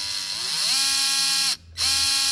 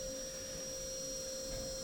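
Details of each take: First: Traxxas TRX4m RC crawler after cleaning and reassembly, battery in, lights and steering working: clean, even motor whine rising and falling with throttle, gears humming smoothly with no clicks, binding or grinding; drivetrain runs freely and smooth. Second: Traxxas TRX4m RC crawler, steering servo with stripped gears, already broken a couple times, truck can't turn right: thin, steady high whine holding one pitch as the servo strains and freaks out; servo to be replaced.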